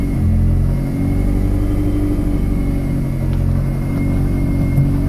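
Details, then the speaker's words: Supercharged VW 1.8L (Sprintex 335) with a lightened flywheel, idling with the clutch out: deep rumble with constant fine clattering like a box of rocks. The transaxle gears are rattling, and warm idle rpm fluctuates. "trans axle's got a lot of knock to it sounds like a box of rocks got a light and flywheel in this thing so it really makes the gears in the transax will rattle"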